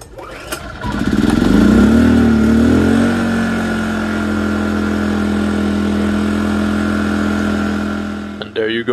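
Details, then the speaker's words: A-iPower SUA2000i/SC2000i inverter generator after cleaning clogged carburetor main jet: short pull starts it and it settles into a steady even hum without misfires or surging, running smooth like new. "Generator running smooth like new."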